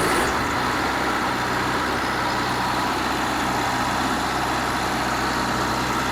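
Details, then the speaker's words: Wisconsin VG4D engine running on propane driving a 15 kW Kohler 120/208V three-phase alternator, started with brief choke after throttle reset: fires quickly, steady even beat, no misses or knocks; normal running. "so you see now she runs just fine"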